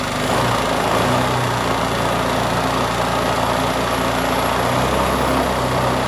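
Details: New out-of-box 79cc bike kit engine on a table, fitted with Chinese muffler and air cleaner: fast, steady buzzing idle with slight surge, held high by governor; won't start on low idle, owner plans to remove governor.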